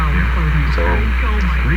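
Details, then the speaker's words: Sparton 1567 tube radio under repair, on a whole-system test of receiver, amplifier and speaker with the volume barely turned up; a loud, steady low mains hum sits under the broadcast, and it changes with the tone control, a hint toward its source. "lots of hum from here. Now the hum is sensitive to the tone control. That's an important hint as to where the hum is coming from."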